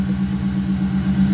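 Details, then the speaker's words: Subaru Baja after reinstalling the fuel pump assembly (old seal failed, causing fuel pressure drop and lean running under boost): smooth even low idle, steady pitch, no misses or knocks; running fine after repair. "so get that going seems to be running just fine now"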